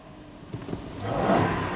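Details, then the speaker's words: Fiat 126 engine after replacing a cracked part found under the engine cover: a short, even rev with a clean, steady note and no stumble. It seems smoother and the engine warning light is now off. "seems smoother. And look, look, look, no engine warning light. That is great news."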